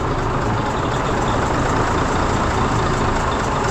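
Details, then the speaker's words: Mack diesel with valve cover off; heavy idle with fast, light ticking in the clatter, steady with idle speed; owner suspects a valve out of adjustment or a fuel tick, later found major cylinder head issues. "I'm thinking it's a valve like something out of adjustment and it's tick tick"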